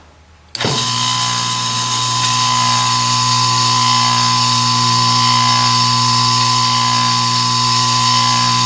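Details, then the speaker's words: Delta 1-inch belt sander after cleaning its motor bearings, which may have caused a high-pitched squeal: motor starts and settles into a steady even hum with no squeal. "so I think that may have fixed the problem again I think maybe those bearings just over time needed to be lubricated and kind of cleaned out a little bit"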